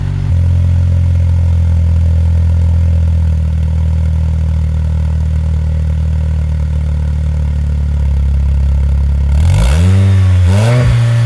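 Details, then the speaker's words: Jeep Patriot 2.4, after replacing the stock muffler with a Thrush Turbo muffler: deep, even idle burble with no knocks or rattles, then two quick clean throttle blips; sounds healthy and racier, louder than the quiet stock exhaust. "but overall I think it sounds pretty good so much more of a racy sound"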